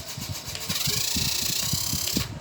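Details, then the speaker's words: Pink handheld mini fan whirring up to a high hum with quick rhythmic rattle and vibration as a broken blade rubs its front cover: unbalanced fan blade rubbing the cover. "So maingay tapos nagv-vibrate or sumasayad na yung kanyang kwan sa kanyang pinaka front cover."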